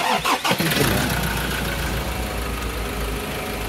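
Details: 2012 Ford Ranger 2.2 TDCi Duratorq diesel, just after fuel filter replacement and priming by switching ignition on three times, glow preheat first: brief crank, a few uneven firings, then a steady even idle. Slight air misfires are expected briefly; normal start.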